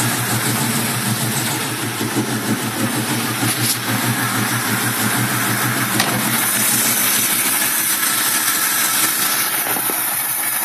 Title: 1965 mustang 2150 carb rough idle